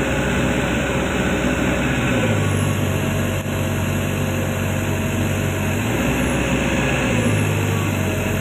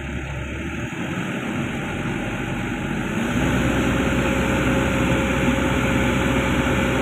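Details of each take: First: Komatsu PC200-10M0CE excavator diesel, about 3000 hours, CA2249/CA559 faults, arm raised under load: drone drops in pitch and labours, pulling down instead of holding speed; rpm falls to 1400 with rail pressure about 400-456 against 800 commanded, too low. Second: Komatsu PC200-10M0CE excavator diesel, about 3000 hours, CA2249/CA559 history, high idle without load, a reading of about 900 roughly matching: steady drone climbs slightly then holds smooth, no knocks or misses; no sensor fault, healthy high idle.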